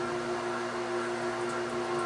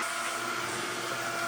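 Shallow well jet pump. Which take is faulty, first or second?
first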